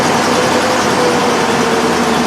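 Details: 1998 Ford Ranger after fuel pump replacement (old pump gave only 25-35 psi, dropping on snap throttle), not yet warm: steady busy idle with even hiss, no knocks, running much better though a slight miss remains.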